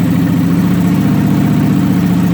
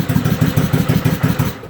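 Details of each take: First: Suzuki motorcycle after stator cover repair, shorted rectifier disconnected, cold start with choke and revs raised: steady even firing at raised choke idle about three seconds, then clean shutdown; fires up easily, normal cold-start idle. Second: Suzuki motorcycle after stator cover repair, shorted rectifier disconnected, cold first start of the morning on choke: lumpy, uneven low chuffing fading toward the end, barely staying lit, needs more choke; cold engine running rough.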